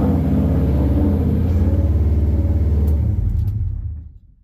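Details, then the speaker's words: Subaru engine-swapped drift car on its first start after the build: rough lumpy idle with a pulsing low beat, engine speed rising and falling before shutdown; surging idle, cause not yet diagnosed. "guess. Well, she's alive. We can say she's alive. Little angry. Idling up and down. Kind of goofy. I'm not sure what that's about."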